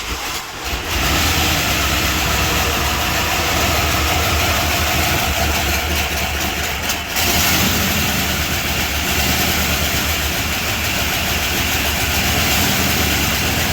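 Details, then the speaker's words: 1978 Chrysler Newport V8, long-sitting, just running again after a fuel pump replacement. It idles unevenly with light lifter chatter over the exhaust beat and dies when put in gear. Old oil is suspected, not confirmed. "It sounds good other than that chatter. Dies when you put it in gear. Well, it's not idling real well."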